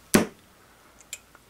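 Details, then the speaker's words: Klipsch Pro Audio 2.0 powered speaker set switched on after repair (caps and resistors checked): one sharp pop at turn-on, then faint ticks in a quiet room; normal power-on thump, green light and both channels working. "pop's normal all right we have a green light over here i hear both channels"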